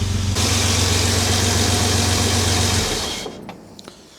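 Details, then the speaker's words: Jaguar XJ6 after a head gasket replacement and camshaft retiming, warming up as the choke turns off. A steady, even low idle with no misses for a few seconds, then the clip cuts off; it usually misses slightly. Finding: normal idle. "It's never been like this smooth at idle. Choke starting to turn off now. That's very, very smooth. usually sometimes misses a tiny bit."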